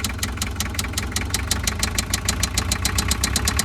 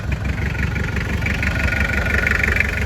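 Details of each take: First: Toyota 2L diesel in a van: starts but barely idles, loses power, with a heavy regular knock over the clatter that gets louder as it is revved, then shuts off; a melted (spun) rod bearing is suspected. Rod knock. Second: Toyota 2L diesel van (Mighty-X engine) after replacing one cylinder's connecting rod bearing that caused knocking, poor idle and power loss: steady diesel clatter at idle, even beat, no deep knock; normal idle.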